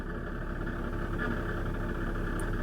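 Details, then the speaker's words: Jaguar F-Type at idle; faint scraping hum in the upper mids, rubbing also heard on revs; goes away in park off the brake; cause unknown. "thing is I can get rid of it put the car in park F off the brake I just don't know what that noise is"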